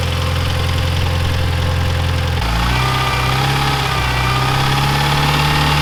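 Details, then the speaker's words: Neglected Mitsubishi Evo 9 four-cylinder at idle: loose, fairly quick tick of about three or four per second over the hum; suspected lifters, not confirmed, engine said to need motor work. "I still think it's the lifters. It sounds like lifters to me."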